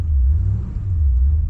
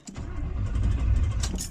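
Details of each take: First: 1972 Chevrolet Impala V8 on second start attempt after the coil wire was refitted: deep, even low rumble with no stumble or skipped firing, slow to respond to throttle, idling smoothly on all 8 cylinders. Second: 1972 Chevrolet Impala V8, unstarted since Sunday after rocker arm work, throttle pumped twice: steady starter churning with no firing catch, cranks but no spark because the coil wire was left out of the coil.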